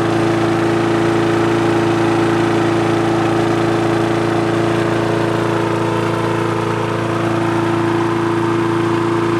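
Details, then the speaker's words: Push mower that wouldn't start, after carb cleaning, diaphragm and gasket replacement and a replaced spring: a steady, even single-cylinder drone at constant pitch with no misses or surging. Running well; rpm raised by tensioning the springs. "all right guys so there you go it's uh running good there i was just kind of adjusting the rpm by increasing the tension on these springs by just pulling the levers right here and right here"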